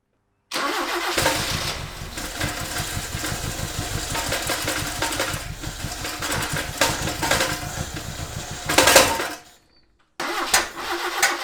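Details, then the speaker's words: 1976 RA23 Toyota Celica, rebuilt engine stored for years, first cold runs on its own fuel system: it catches and runs lumpy and uneven with missing pulses before shutoff; misfire from plug leads in the wrong firing order, possibly running on 2 or 3 cylinders. "All right, so that ran better that time, to the point where I turned the ignition off. I didn't have to wait for it to stall out. I think it's getting better."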